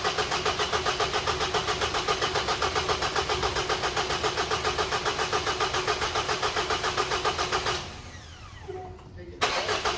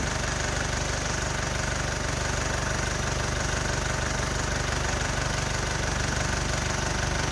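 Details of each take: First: Engine with customer complaint of rattling, after repair with timing cover resealed, sealant cured overnight, fresh oil added: catches and runs with an even, steady pulse and no obvious rattle, switched off after about eight seconds; normal idle. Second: Mitsubishi Outlander diesel idling with a steady metallic rattle, about three beats a second, from the timing end. Often mistaken for timing chain noise, it is a slack balancer drive coupling and worn thrust washer. Exhaust manifold also found cracked.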